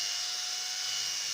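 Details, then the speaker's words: Sewing machine motor, open, after servicing, pedal pressed to maximum speed: steady, even high-pitched whir with no rumble, rattle or grinding; healthy motor running normally. "Звук хороший вот максимальная скорость я нажал максимальную скорость там слышно как он работает"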